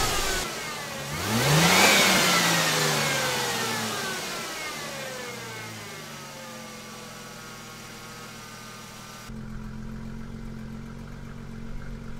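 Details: 2002 Mustang 3.8L V6 with 105k miles, after Pacesetter shorty headers replaced leaking exhaust manifolds; stock midpipe and muffler, traction control off; revs rise and fall smoothly, then settle to a tight, tick-free idle.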